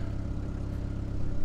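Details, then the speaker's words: GSX car after sitting about a month, warm idle with AFR 14.6–15.1: low, steady idle with an even pulse and no ticking or stumbling; idle has calmed down, healthy. "idle's calmed back down idling at 14 6 to 15 1 back and forth on the afr"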